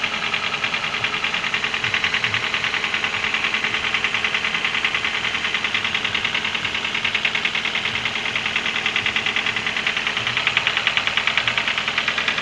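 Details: Internal engine knock: steady, even knock about three times a second over the idling engine; origin unknown.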